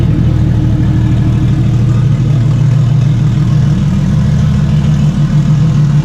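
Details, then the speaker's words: Stock Toyota 1JZ six swapped into a Fox Body, first test fire after minor harness changes and new intercooler piping: deep, steady low rumble with an even pulse and no knocks or misses; it settles into a smooth idle. "all right guys so it runs um i really didn't expect it not to run"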